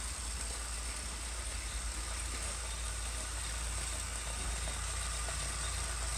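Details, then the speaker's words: New Wahoo Kickr18 smart trainer at riding speed: low, even whir with a faint steady hiss, no knocks or grinding; much quieter than the older Kickr gen 3. "a lot quieter as you can tell"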